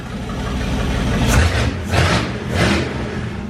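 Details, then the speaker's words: 440 big block pulled from a motorhome, for a 1970 Plymouth Duster: three quick light throttle blips under quarter throttle, each rising and settling back cleanly with no stumble; healthy. "that's not even like quarter throttle"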